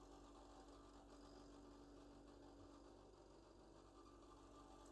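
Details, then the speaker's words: Furnace inducer draft motor running during HVAC troubleshooting: quiet steady hum with a faint rough whirring flutter underneath; worn inducer motor, still working but needs replacement. "now uh this inducer draft motor has seen better days don't get me wrong um it needs uh it needs to be replaced but it's still it's still working you know"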